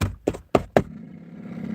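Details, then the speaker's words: 2005 VW Touran 1.9 TDI cabin blower motor in passenger footwell above glove box: blower gives nothing but clicking, then three bangs on the housing bring a low roar swelling as the fan spins up; blower motor likely failing. "It's just it's down here. It's making a roaring noise. Maybe we can listen."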